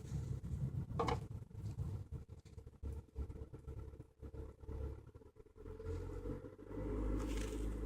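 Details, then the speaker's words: Hyundai Elantra cold start below 0 °C coolant: idle rises to about 1200-1500 rpm when stopped and drops to about 900-1000 rpm when rolling downhill, until coolant reaches operating temperature; steady drone with road rumble, high cold idle, cause unclear. "engine speed goes up to like 1500 i let off the brake not touching anything the car starts rolling and as you can hear engine speed drops right now is about 1000"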